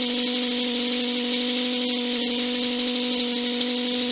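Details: Aircraft intercom/radio with an MGL EFIS: a constant electrical buzz at a fixed mid pitch over background hiss; alternator noise is suspected.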